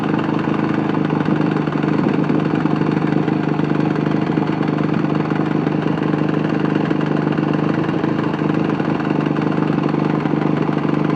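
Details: Yamaha YZ450F single-cylinder dirt bike that began knocking after being dropped: idles with a loose, uneven knock tapping through the exhaust beat; cause unknown.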